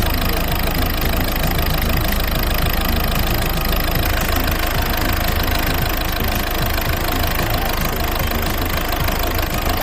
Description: A common fault on the 1.6HDi/1.6TDCi engine. Poor idle, running roughly around 1100RPMs. In most cases, there is a faulty injector.